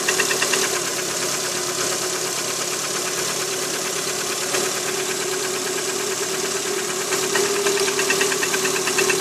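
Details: Cold Lada Priora 126-series petrol engine idling on a 10 °C May morning: a steady, fairly quick light knock about three per second. Piston slap; the knock disappears when the cylinder-four coil is removed, and it was gone after repair.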